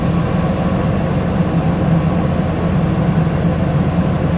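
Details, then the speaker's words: 2000 Lincoln Navigator air suspension compressor after replacing the corroded compressor relay and repairing corroded wiring: steady low droning hum pumping evenly, rear bags slowly refilling; normal compressor operation after repair. "all fixed you hear it uh pumping away back here up here in the front so the compressor works"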